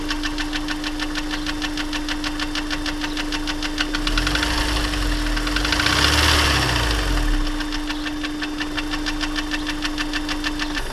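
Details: Honda S2000 petrol engine, warm startup idle: steady rapid knock first suspected as rod knock (or TCT); teardown found failed oil squirter in cylinder 1 warped the cylinder, leaving piston scraped up — piston slap from scored cylinder.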